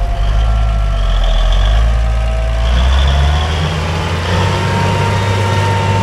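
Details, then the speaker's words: Farm diesel running older swapped-in injectors: deep steady rumble, all cylinders firing clean with no crazy smoke, after spitting, puffing and a rough idle at first start; normal running. "these old injectors are actually running pretty good it was kind of spitting and puffing a little bit at the beginning but now it's just it's clean"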